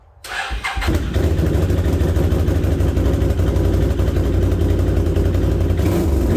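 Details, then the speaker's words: 2008 Can-Am Outlander 650 XT ATV with a no-start fault, caused by a bad wiring connection and fixed with a new connector. After the repair it cranks quickly, catches at once and settles into a steady, even idle with no misses. "okay well there you go there's a quick easy fix costs nothing but a wire cutter and a little bit of time"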